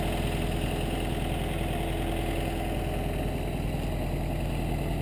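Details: 1952 MG TD, 1250 cc (1.25 L) four-cylinder overhead-valve engine, about 51,702 on the odometer: steady, even low thrum at idle with no knocks, misses or ticking. Normal idle.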